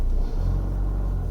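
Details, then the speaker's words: 2009 Ford Mondeo 1.8 Duratorq TDCi diesel (QYBA) at 1500 rpm after repair: a steady, smooth low rumble without the earlier shaking or misfire; the fault was the number three injector. "now it's a 1500 rpm we're nice and smooth we're not getting the the rocking like you can see on the screen a little bit of a unevenness but i think that's how these are"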